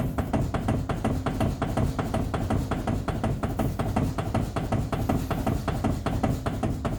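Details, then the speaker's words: Steering after new tie rods were fitted: steady hollow clunks, two to three a second, felt at the outer tie rod as the steering wheel is rocked side to side; the worn rack end bushing is suspected. "So as I hold on to the outer tie rod, you can feel that clunk, clunk, clunk, clunk, clunk as she's shifting it back and forth. So it's definitely rack and bushing."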